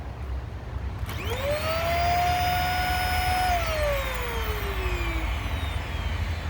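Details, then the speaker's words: Hoover Air Steerable upright vacuum at switch-on: motor whines up to a high strained pitch, holds, then sags; sounds clogged, caused by clogged filters (bad bearing also found). "right away, obviously the machine came on, but it sounds like it's clogged. Gee, what a surprise."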